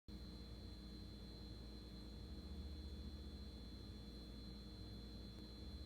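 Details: GE refrigerator gives off a steady, piercing high-pitched whine over a low running hum.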